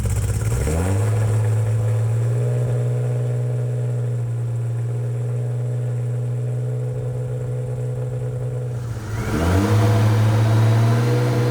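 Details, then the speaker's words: 2JZ straight-six swapped into a Hellcat, on pump fuel, first run after starter fix (wire moved in fuse box): catches, settles into smooth even idle, revs cleanly and drops back; super high oil pressure, normal idle and revving. "Oh wow. Super high oil pressure. That's a good thing. Oh yeah. It's crazy how good it runs when the king gears are like that."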